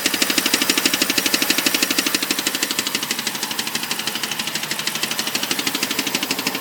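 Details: BMW 545 V8 at idle: a rapid, even, sharp clicking rides over the quiet engine hum.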